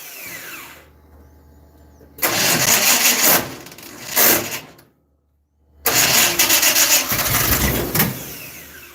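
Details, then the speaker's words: Dirt track race car engine, not yet making oil pressure, timing being adjusted; long bursts of cranking with a rough uneven churn that never fires; cranking no-start, starter suspected worn (rebuilt junkyard unit), not confirmed. "Well, this starter is a junkyard special that's been rebuilt 35,000 times. Sounds like you need another starter."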